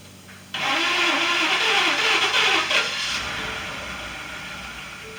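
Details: 2018 Ford F-150 XLT 5.0 V8 after a fuel pump replacement for a no-start (it would start then die), key-cycled to prime: engine catches promptly and settles into a steady, even run with no stumble; normal start and idle.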